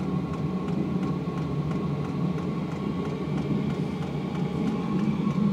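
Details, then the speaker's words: 8 kW (labelled 5–8 kW) Chinese diesel heater in a greenhouse after air cleared from the fuel line: steady jet-like roar with regular pump ticks at about three per second. It runs cleanly, blowing warm air with steam from the exhaust. "As you can see outside there's some steam coming out the exhaust. Oh, it's blowing warm air now. That sounds like a jet engine."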